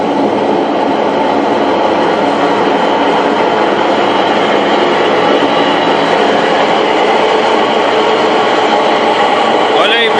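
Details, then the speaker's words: Electrolux washing machine in the spin cycle: loud steady rumbling roar from worn drum bearings; the failed main tank seal was the main cause, and the old parts were replaced. "essa máquina a cliente mandou que pra gente e ela tá fazendo muito barulho a centrifugação"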